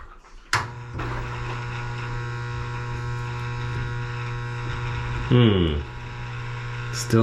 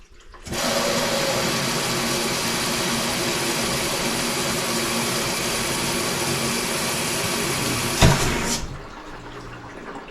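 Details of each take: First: LG WM2301 front-load washer, hot fill after new inlet valve fitted: steady low electrical hum with no water rushing in; valve is powered, so supply to the valve is suspected. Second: LG WM2301 front-load washer, about nine to ten years old, after new water supply lines fitted: steady even water rush for about eight seconds, then short filling bursts, no chatter or hammering; cold water fill working.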